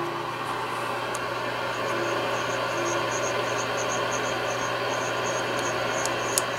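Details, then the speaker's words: Yaesu FTDX-560 receiver with VFO plug jumpered, calibrator set to 25 kHz: steady hiss of static with low hum, no stations or calibrator tone; no receive at all, and turning the pre-select makes no difference. "we have nothing. No receive whatsoever."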